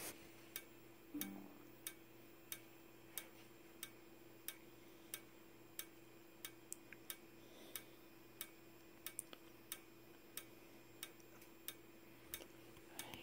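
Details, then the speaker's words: Simplex 4903-9219 strobe, 15 candela, flashing 60 times per minute, battery powered: sharp tick roughly once a second over a faint constant high-pitched whistle from the charging capacitor; strobe working normally. "it's flashing 60 flashes per second I mean 60 flashes per minute sorry guys got it wrong and you can also hear the capacitor - I'm not sure if you can hear it but you can hear that high pitch whistling constant beep noise from the capacitor that's in"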